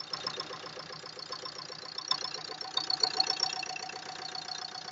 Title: VID 20130911 131109 Стук клапанов о поршень?